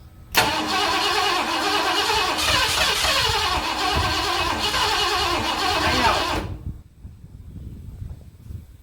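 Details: 1978 Ford F-250 460 farm truck that sat about 15 years, fitted with an HEI distributor, with gas poured down the carburetor and the pedal floored; six seconds of steady cranking that never catches, cranks but won't fire. Cause unknown, possible fuel line issue suspected.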